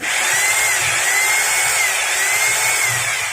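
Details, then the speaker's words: Maktec MT870 rotary hammer that will not hammer-drill walls, tested in hammer mode before disassembly: smooth high motor whine with no hammering beats, so it only drills. The test shows the fault lies elsewhere than first checked. "for the sound, no there is a change that means the damage is not from here, now we are looking for other problems or damage,"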